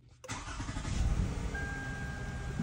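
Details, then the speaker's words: A 2008 Toyota Avalon 3.5 L engine catches and settles into a low, slightly lumpy idle, shaking, with the check engine light on. One cylinder misfires because its fuel injector is not firing. "customer complaint is the engine is shaking and the check engine light is remaining on on the dash while the engine is running"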